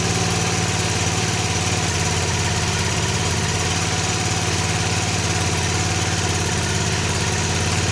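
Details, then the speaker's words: 1965 Honda E300 generator after spark fix, throttle slowed to low speed, producing little power there: small single-cylinder putters evenly and steadily with no stumbling or rattles. Normal low-speed idle. "Alright, it doesn't really produce power down that low, but it sounds good that low."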